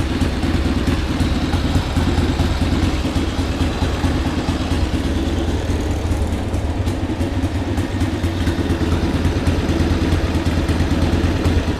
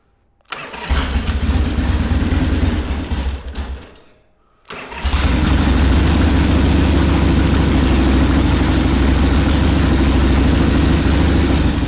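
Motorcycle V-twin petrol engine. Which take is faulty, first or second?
second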